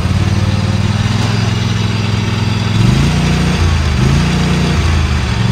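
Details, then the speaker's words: Used Dixie Chopper XG2503 zero-turn mower with Generac gas engine, driving forward and reverse on both levers: even, steady engine beat that rises and settles cleanly as speed changes, no knocks or misses; sounds healthy. "sounds good revs up nice all the handles work"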